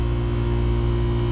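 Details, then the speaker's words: Daikin McQuay water source heat pump that was not cooling, compressor running after the fix energized the coil: steady low, even drone, no knocking or rattle, grille temperature 59 degrees and dropping; normal compressor operation. "all right everyone i hope you can hear that got the compressor running got a thermometer in the grill"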